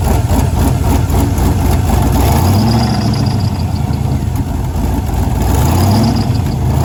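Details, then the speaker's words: 2001 Camaro SS turbo LQ4 6.0 V8, after dyno tuning revealed a tick and cylinder 7 spark issue was fixed: lumpy heavy idle with sharp tapping beat and blips; knock persists, internal damage suspected. "all right guys as you saw on the last clip um the motor is still knocking even after fixing the spark issue on cylinder number seven"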